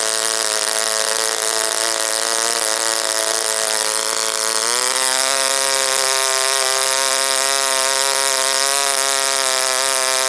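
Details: OS Wankel rotary on 5% Omega fuel with extra castor and a 10x4 APC prop, run after cooling from overheating: high buzz climbs midway, then wavers and won't settle at high rpm.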